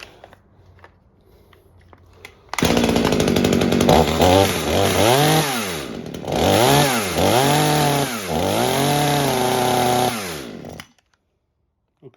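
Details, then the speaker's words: Mini chainsaw being rescued, during carburetor adjustment: the saw revs up and down with a burbly, held-back top end instead of a crisp one. The high-speed mixture is too rich and is turned down. "Okay, high side sounds like it's too rich. We turn it down."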